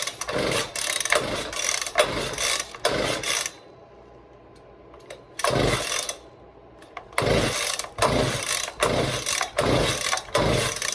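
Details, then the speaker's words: Echo PB-200 two-stroke blower, first start attempt after reassembly with side panel back on: several rasping pull-cord strokes in bursts with quiet gaps, engine never catches or fires; cranking, no start. "Nothing. Just two more. Huh? I don't know."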